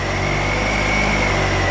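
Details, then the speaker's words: Lightning-struck 2005 Ford Escape just started, barely running then smoothing: a steady high alternator whine at full output over a rough idle, with high voltage and the instrument cluster going haywire. "absolutely nuts and hear the alternator's on full blast whining away"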